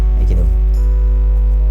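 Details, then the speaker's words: Audio recording setup, preamp into mixer: loud steady low mains-pitch buzz; disappears when touching the ground; suspected ground fault at negative pole or casing ground, with proper cables given as the solution. "kalau memang suaranya dengung seperti ini kita bisa cek biasanya di kutub negatif atau ground casing"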